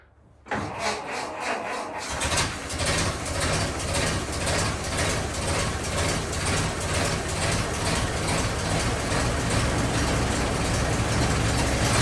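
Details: 1927 Ford TT on jack stands with new buzz coils, timing one and a half open and throttle slightly up, first run since purchase; catches after brief cranking, then steady, even running with firm low-end pulses.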